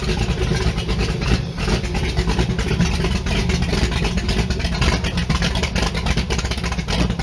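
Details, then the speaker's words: Allmand SuperNova race boat engine, started easily, timing not yet set: deep steady full-throated rumble with even firing, no knocks or misses; healthy. "She's got some cobwebs to get out, and then on top of that, I gotta get the timing set, but I'm just having too much joy right now because this thing kicked over so easy. It was unreal."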